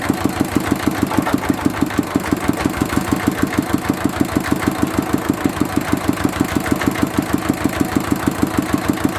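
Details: Mitsubishi diesel with a fault of diesel leaking into the oil sump and heavy white smoke. The fix is to replace the pump plunger, pump valve and pump seal. It now gives an even thump just over three beats per second, no misses or hunting: normal running.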